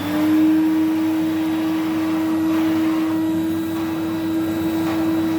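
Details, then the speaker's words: 1970 Electrolux Z91 vacuum fitted with a later replacement motor because the original died: steady, even, fairly high motor whine at one pitch, lacking the original's deep resonating hum; runs fine but is not the original motor. "And just bear in mind, it will sound more like a later Electrolux."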